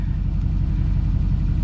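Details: 2007 GMC Sierra LBZ Duramax diesel after a turbo replacement; steady diesel clatter at an even idle with no surging, knocks or odd noises, a healthy-sounding idle.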